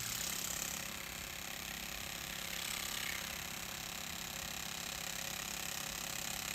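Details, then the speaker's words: Cylinder 2 bottom-rail fuel injector, pulsed on the bench in a vise after being freed from sticking by tapping with a screwdriver: quiet steady light clicks, a little over two a second; now opening and closing normally. "You can probably hear, this was the cylinder number 2 bottom rail fuel injector, and it's actually open right now."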